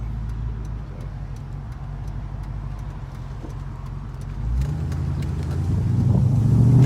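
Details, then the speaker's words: 1994 Ford Mustang GT convertible automatic, which shuddered badly before filter, gasket and fluid change. Hard throttle on the road after service: engine note climbs steadily with no shudder, flare or clunk; smooth transmission under acceleration. "Felt a shudder, not even once. Very nice."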